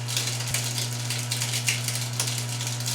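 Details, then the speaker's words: GE GDF520PSF4SS dishwasher not draining, filter already cleaned, run after a start-button reset: a loud, steady motor hum with a constant gritty rattle; owner suspects something blocking inside the drain pump, either a clog or a bad pump. "And after it resets, you can hear it trying to drain, and you can hear crunchiness. Which is why I suspect there might be something inside of there that's blocking it."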